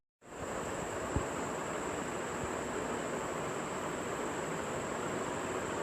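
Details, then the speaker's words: Ceiling fan running after repair of the tick-tick/click noise (bearing or shaft wear, opened and reassembled): soft, even airy whoosh with a faint steady hiss and no ticking or clicking. "tik-tik or click sound as you hear there is no noise coming out of the ceiling fan anymore"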